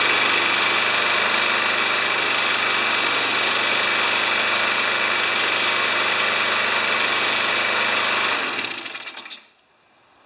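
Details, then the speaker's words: Craftsman mower single-cylinder engine run on the bench after an oil change: buzzy, rattly run with a light, steady knock about three times a second; worn engine knock. "that'll explain the knock in the engine too right because the engine's knocking a little bit"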